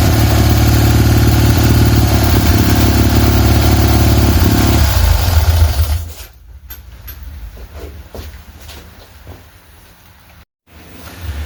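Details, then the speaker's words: Freshly rebuilt tuned Fiat 126 twin-cylinder engine for a Fiat 500, test run: deep even twin thrum holds steady about five seconds before shutoff; runs cleanly, mixture still needs fine tuning. "Um but for the minute it's it's fine. It starts, it runs."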